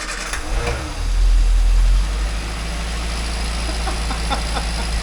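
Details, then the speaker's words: 998cc Mini Clubman first started in years, after clearing old fuel and refilling the float chamber, on choke: the engine fires, revs briefly, then settles into a steady, low, even running note with no knocks or misfires; normal running. "No way. It's alive. There we go. You can do this. There we go."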